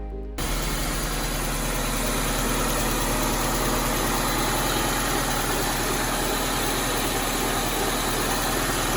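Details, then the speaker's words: Honda CR-V with JDM B20B head swap, first start after cranking to build oil pressure, coolant still slightly low: steady fast idle at 1400 rpm, smooth and even, no bubbles and no ticking unlike the old head's tick-tacking; normal idle. "hold an idle at 1400 no more bubbles no more ticking awesome"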